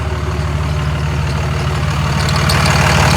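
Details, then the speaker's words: 6.4 Cummins truck with 5R110W, exhaust downpipe installed but not hooked up, only sitting close to the other pipe: loud raw diesel idle with steady low chuff about three per second; exhaust leak at the disconnected downpipe. "I've got a down pipe in there, but it's not actually hooked up. It's just very close."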